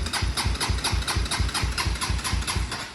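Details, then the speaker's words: Honda 400EX quad that died on the trail, after the starter clutch was fixed: steady starter cranking, about two compression pulses a second, single cylinder turning over evenly; starter now engaging, normal cranking. "In here, it's actually turning it over now, though."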